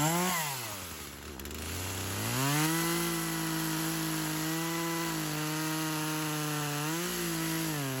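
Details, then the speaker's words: Old Craftsman chainsaw that sat for years, cutting wood; pitch sags sharply then recovers with small dips; bogging under load, owner notes engagement trouble, needed more fuel, ring seems a little stuck. "The only thing I'm having a problem with is the engagement. So I had to add a little more fuel to it."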